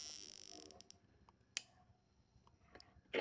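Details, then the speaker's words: VW Fusca (Beetle) misfiring in second gear at low rpm: sharp irregular snapping clicks. The plug leaks current and sparks at its base insulator, worsening and arcing elsewhere. Spark plug insulator leakage arcing. "Ela faz aqui na parte de baixo, na base dela aqui, fagulhas. E ele passa, ele segue o mesmo caminho da parte de cima. Então, desliguei. Na parte de baixo, começa uma fuga de corrente."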